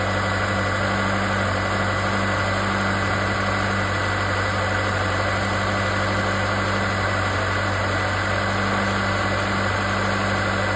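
Steady idle with a constant loud buzzing drone riding over it that never changes; that's the turbo wastegate actuator making noise.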